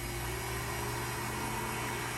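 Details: Electric Cooler Bleeder pump bleeding the intercooler coolant system of a C7 Corvette Z06, reservoir filled with Dexcool; steady even pump hum with soft airy hiss, no knocks or surges, running normally.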